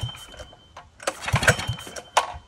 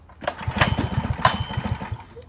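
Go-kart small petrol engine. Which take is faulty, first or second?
first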